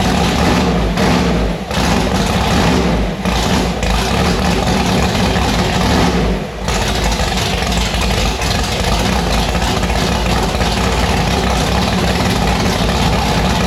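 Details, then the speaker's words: Car Annabelle on E85 with freshly installed 1150cfm Pro Systems carburetor; loud, lumpy, choppy V8 idle with sharp rev blips, firing steadily and staying lit; runs properly, sounds violent. "Annabelle started, it fired. It sounds pretty violent."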